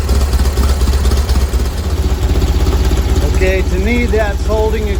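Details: 1970 VW bus flat-four with dual 34 carbs, warming up during carb sync after the idle screws were backed off from too high an idle: loud, steady chuffing about four pulses a second, no stumble or hunting. Idle holds well; mixture screws still to be tuned.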